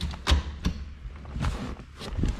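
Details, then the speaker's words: T56 manual transmission reverse lockout solenoid, previously preventing reverse, now wired in: a few short dull clicks as the solenoid pulls in and opens; clicking normally after the wiring fix. "So now we just simply listen. It clicks."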